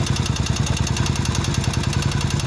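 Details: Vento 250 motorcycle; deep regular knock about nine per second locked to idle, low in engine; owner first suspected timing chain or tensioner, teardown found damaged crankshaft/connecting rod; bottom-end bearing knock.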